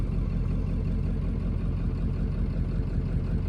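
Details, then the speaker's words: OBS Ford 7.3L diesel truck at early-morning cold idle after installing rebuilt injectors: low, steady, even clatter with no misses or stumbles and no smoke; the injector job succeeded. "Hey, look at that. No smoke. So, all in all, I'd say this was a success."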